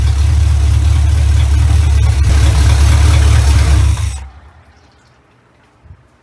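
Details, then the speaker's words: 1970 Chevrolet Impala V8, first start in 4 years after fitting a replacement carburetor: deep, steady rumble at an even beat with no stumbles, switched off after four seconds. Runs much better than the old carburetor; healthy smooth idle. "okay that runs so much better than my old carburetor like i don't know if you guys can tell that that much but it runs so much better"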